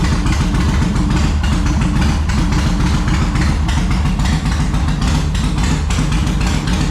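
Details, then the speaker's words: 2004 Yamaha Road Star Midnight Edition V-twin, cold, on choke after new fuel pump, filter and hoses: uneven lumpy beat that never settles; junk buildup inside the carburetor, cleared by covering intake while throttling on full choke. "Oh, so close. All right. There was a little bit of junk buildup inside the carburetor"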